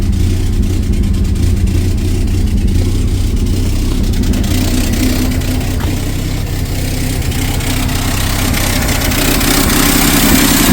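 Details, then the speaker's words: 1962 Studebaker Lark started, in neutral: rough, uneven, lumpy idle with occasional stumbles, a bad misfire; mechanical fuel pump suspected of not drawing fuel. "neutral it's got a bad misfire in it"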